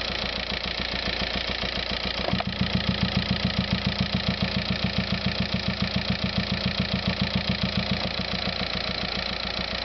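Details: VW Passat TDI diesel idling with a steady, sharp tick about three to four times a second over the clatter. Abnormal engine noise at idle, cause unknown.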